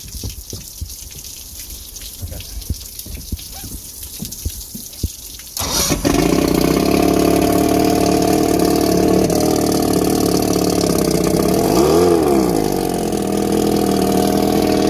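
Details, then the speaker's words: 1970 Mercury 1150 L6 Silver Block outboard after replacing bad trigger/distributor and rebuilding carbs, fuel leak still present: a few seconds of cranking, then it catches and settles into a steady, even buzzing run; normal running. "Crank it up, everything looks good. That's good."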